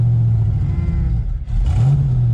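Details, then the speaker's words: Foxbody Mustang V8 started after sitting over 8 years: low, uneven rumble with wavering beat and a dip; sounds rough, missing, leads noted as not horrible. "I'll wait oh crap that sounds a little rough so bad they real they're telling me Oh leads aren't horrible that doesn't sound but guys"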